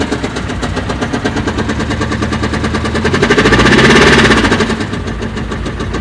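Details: BMW engine with rapid, regular tapping knock that swells as revs rise and fades as they drop; owner says the car was bought with the problem, origin unknown.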